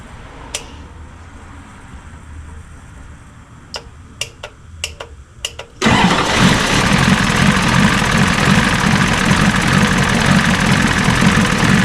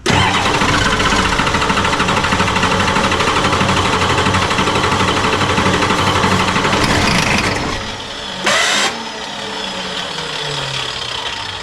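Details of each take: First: 1986 Ford F350 diesel after fuel return rail repair for a leak causing smoke: running off the tank. After clicks it catches instantly into a steady, even diesel clatter at idle, with some smoke afterward; normal start and idle. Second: 1986 F350 diesel after fuel return line replacement, glow plugs cycled: long, steady starter cranking with uneven stumbling firing that never catches. Air in the lines suspected, possibly a poor signal to the pump.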